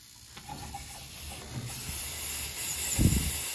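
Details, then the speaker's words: Air bleeding in a hiss from the cracked gas union at the pilot of a new Weil McLain CGa5 gas-fired hydronic boiler after gas was turned back on; steady sharp hiss purging trapped air from the gas line before lighting. "matter of fact i'm just gonna crack the union and get the air out"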